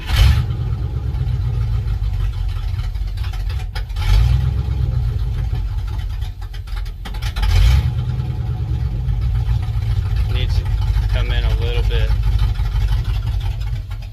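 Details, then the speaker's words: 1967 Dodge D100 engine being revived: fast, steady idle with a couple of blips after the idle screw, earlier screwed in so far the engine was "singing," was backed out. "earlier the idle screw was just so far in that thing was just singing so i moved it out one pump here we go let's see"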